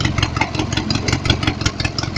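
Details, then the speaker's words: Lawnmower engine with a newly added alternator, driven by a makeshift string belt and not yet under load, idling with quick, slightly uneven pulses and a busy clatter. The idle is altered; the owner thinks the setup isn't built right. "This idling is slightly a bit different, but I think it looked all because I don't have the right build on it."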